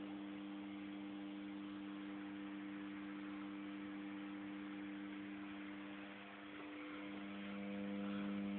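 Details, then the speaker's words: M-Audio Conectiv soundcard output on 9 V AC adapter: steady constant-pitch low electrical buzz with no rise or fall, source unknown; grounding it later stops the noise. "a nice, clean buzz that we can hear now. But then again, where does it come from?"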